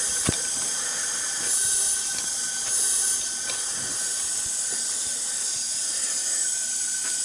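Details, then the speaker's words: 1983 Honda ATC200 ATV with low compression, leak-down test at top dead center, engine off: constant sharp hiss, lots of air escaping from the carburetor; intake valve leakage suspected, possibly from dirt via missing air cleaner and backed-off valve adjustment. "much of an air change you can hear but there appears to be a lot of air coming out from the carburetor"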